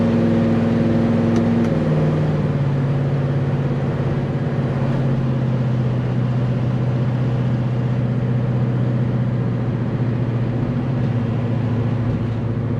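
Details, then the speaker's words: Chevelle on first drive with new transmission, nearly every gear used: steady engine drone cruising and pulling through gears, no clunks, whine or vibration rumble; driveline sounds healthy. "Not hearing any kind of vibrations or any kind of weird driveline noises. Things are looking pretty good."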